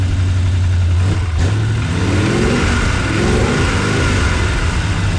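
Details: LT1 V8-swapped Jeep YJ after no-spark/no-charge repair, coil and intake refitted, no coolant: fires on first crank, revs cleanly with steady deep note, no misses or knocks, then idles down; normal start.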